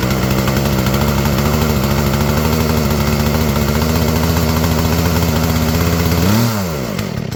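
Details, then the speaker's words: Craftsman two-stroke chainsaw that had flooded, cleared by pushing the choke in and pulling until it fired: steady, even high-speed buzz dropping smoothly off near the end; now runs cleanly. "basically what I did is push the choke in hold it keep pulling until it feel like it's going to start and then it'll start so it's all set now"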